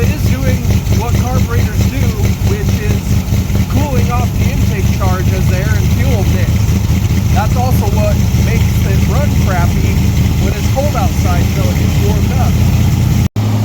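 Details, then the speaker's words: Big-block Ford V8 with 750 CFM Brawler carburetor, cold start after sitting outside in freezing weather, intake runners about 17–23°F: once the choke comes off, the deep idle stumbles and lopes unevenly, from fuel condensing on the cold intake walls. "Okay. So, now it's to the point where the choke has come off and it doesn't want to idle very well."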